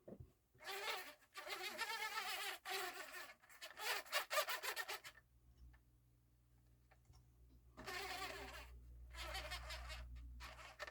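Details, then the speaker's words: Marantz CD-63 mkII with Philips transport: harsh insect-like buzzing in short bursts as the disc tray drives, from plastic gear teeth grinding together; tray had been stuck, not ejecting. "oh it's causing all that noise some noisy gear it's just the sound of the teeth of the gear touching each other but veryy horrible"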